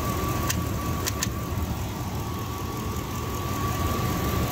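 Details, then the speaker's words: 1999 Dodge Durango SLT, sat 14 years, after correcting the firing order and fitting the oil cap, warming up on 91 fuel: steady, even idle with a faint high whine; earlier knock blamed on old oil and crossed plug wires. "that sounds way better we're gonna say that that noise was a combination of old oil and having those plugs backwards"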